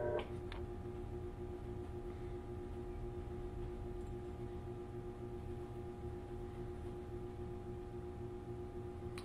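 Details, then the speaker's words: GE GTW500ASNWS 4.6 cu ft impeller top-load washer under test: water supply is on, but the inlet valve solenoids hum steadily with no rush of water, so there is no fill. "sounds like the solenoids are running trying to put water in but the water is turned on"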